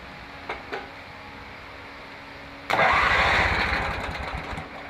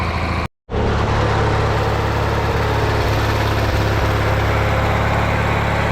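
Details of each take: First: Mower brought in as a no-start, weak starter, after welding a paint-can lid over its blown-out muffler: a couple of clicks, then the starter spins the engine hard about two seconds without catching; cranks but won't start, no gas in the tank. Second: Riding mower, a no-start customer machine, running after a paint-can lid was welded over its blown-out muffler: steady low chugging idle, even for eight seconds after a brief dropout, no misses or rattles; runs, though it still needs a solenoid.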